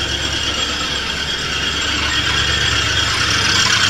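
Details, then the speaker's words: 1983 Oldsmobile Delta 88 Royale at idle: steady high-pitched squeal, apparently from a belt pulley, over a smooth idle; owner suspects the alternator, not confirmed, and spraying lubricant did not stop it. "okay here we go well it starts up immediately now and at least idle sounds like it might be the alternator kind of problem"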